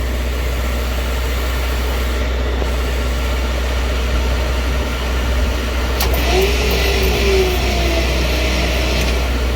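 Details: 1961 Dodge C800 truck, engine sitting 20+ years, during a spark test: steady cranking at about four turns a second that never catches; no spark until the points were cleaned.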